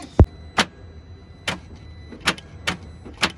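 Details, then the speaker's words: Audi TT Mk1 engine that knocked loudly on the motorway, smoked oil and lost oil pressure; on the starter, single heavy clunks every second or so with no cranking spin; starter engages but the engine is seized solid. "that's seized she's seized as a motherfu yeah she's welded she's welded"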